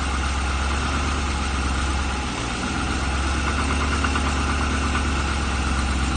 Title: Piston slap LS3 40000 om